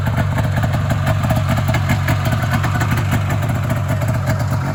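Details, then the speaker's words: Polaris Indy 340 snowmobile after engine swap with a used motor and new fuel lines: steady burbling two-stroke idle with even beat, no misses, knocks or rattle; normal idle, though a bog later traced to gummed carbs and misset floats. "you'll be able to hear it start Run's pretty good not nicer idle now"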